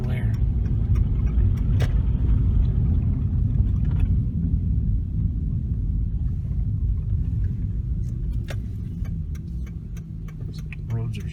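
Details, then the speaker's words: 2004 Ford Escape after replacing scored front rotor that squeaked once per wheel revolution, road test in cold weather: even road rumble while braking, no squeal or chirp, no pulling; brakes now quiet. "we're going down put on the brakes a little bit no more squeaking is it pulling to one side you know no"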